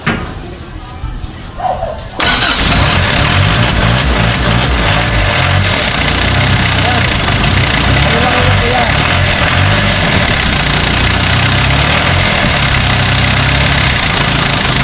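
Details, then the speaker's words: Newly assembled single-cab owner-type jeep diesel brought in for hard starting; catches immediately and settles to a steady even idle, no stumbling, normal start. "Dito Ayan maganda umandar ng makina niyo walang problema Yano gandang mangaran oh"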